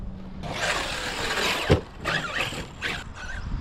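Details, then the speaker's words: ARRMA Kraton 6S RC truck after a hard bash session: motor whine with rough crunchy grinding bursts as it pulls, power not reaching the wheels properly; suspected damaged rear differential, before teardown and rebuild. "Sounding a little crunchy. I don't know. Sounds like a dip. Mine's jacked."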